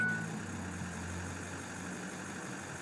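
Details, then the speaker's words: Ford 6.0 diesel with misfire, key on engine off: steady even injector buzz for a few seconds with no gaps or stutter; no sticking injectors or bad FICM. "I'm not sure how that's coming through, but it's nice. It's so I don't have any injectors sticking. I don't have a bad ficum."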